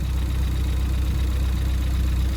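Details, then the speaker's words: Ford Fiesta ST180 after a high pressure fuel pump cam bucket swap, cranked first to build oil and fuel pressure: smooth, even idle with the pump tick gone and only the light injector tick normal on these cars; normal idle. "I've managed to stop the high pressure fuel pump from ticking the the injectors are still quite Ticky but they are on these cars"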